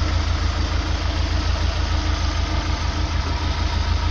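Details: 2000 Opel Astra G 1.6 16v X16XEL with idle trouble, no power, stalling: low lumpy idle with uneven thumps about three per second; rich-mixture rough idle, mechanic 99% sure ECU is at fault; fuel pressure 2.4 bar, within spec.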